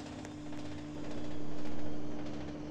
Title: noisy A/C